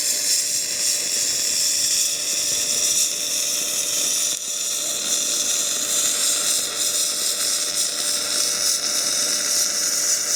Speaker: You should be able to hear that weld just like frying bacon.